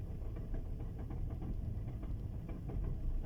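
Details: VW Tiguan diesel with manual gearbox, cold engine at idle: deep, rough idle with a low, uneven knocking pulse; the dual-mass flywheel is suspected to be starting to fail.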